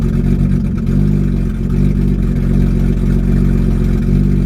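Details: BMW E30 with hard starting and flooding issue, restarted hot: uneven lumpy low rumble with throttle blips, stumbling then gradually clearing up and smoothing; fuel and temperature gauges wander until warm; rough running, cause unknown.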